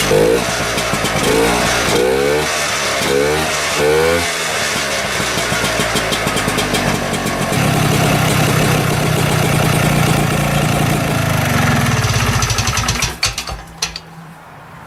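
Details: 1972 Rotax 340 two-stroke in a Tomberlin CrossFire go-kart with belt and new chain fitted, kart raised with the wheels turning. It fires up, blips through a few revs, then settles into a steady buzzing run before shutting off; healthy.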